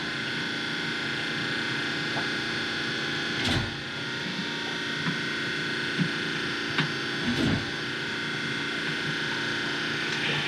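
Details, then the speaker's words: Spectra Newport 400C watermaker on a Leopard 45 catamaran, now running with a Jabsco pump in manual mode because the pressure sensor is broken, bubbles purged: steady, even motor hum with a few handling clicks; pump runs smoothly, normal running. "there's absolutely no bubbles so this is cool and it's running that's it we've got the working a working water maker again"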